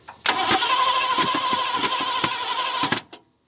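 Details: 1970 Ford Mustang V8, abandoned for years: steady starter cranking near three beats per second with occasional sharp pops out of the manifold but no catch; cranks but won't start, plug wires out of firing order.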